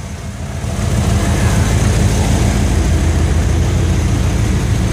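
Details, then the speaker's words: 1988 Ford Econoline wheelchair-lift van, sat two days: deep, steady low rumble settling into an even idle with no knocks or misses; engine runs healthy, normal idle. "a good old van so I assure you it runs and drives great uh all you can hear it do is run now of course"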